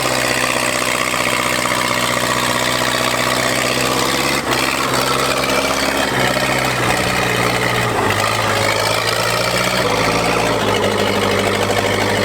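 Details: Old Case dozer diesel, unmuffled stack: loud steady clatter and low drone, speed shifting slightly, firing evenly without knocks; motor sounds good.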